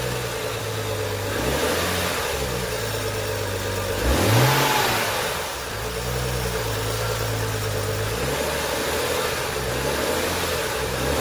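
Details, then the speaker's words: BMW E90 with N55 six-cylinder after replacing engine belts and pulleys: steady petrol idle with one quick rev and fall, running smoothly with no rattle or chirp from the belts; normal idle and rev. "sounds good there's no rattle let's take a look oh good there's no rattling as you could hear"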